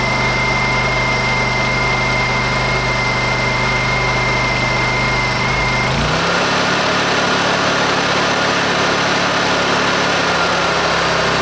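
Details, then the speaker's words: Honda EU2000i generator after reinstalling the carburetor pilot jet to cure a surging low idle: an even hum that drops cleanly to low idle and holds steady without hunting; normal idle. "our idols nice and smooth"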